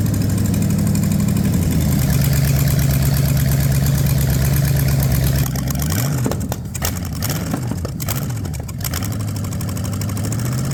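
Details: Ford 460 from a neglected farm chore truck, warm, after checking that all cylinders fire: a deep, even idle with no ticks or knocks, then clean throttle blips. Owner judges it decent, given borderline low compression.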